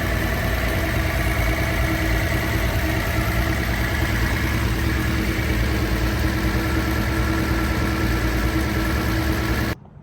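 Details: Idle after rebuilding the Solex Mikuni Type R carburetors with new main gaskets; before, they leaked, the cabin smelled bad and it ran below par. Smooth, even idle with a steady low thrum, no misses, hunting or stumbles; idling cleanly.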